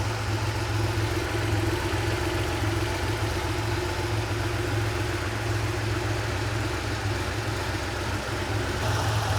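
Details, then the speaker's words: Porsche 911 3.2L flat-six on cold start, engine before installation, wideband showing lean: steady hum with idle speed wandering up and down; unsteady cold idle, lean mixture. "still a little bit on the lean side here idle's bouncing around a little bit"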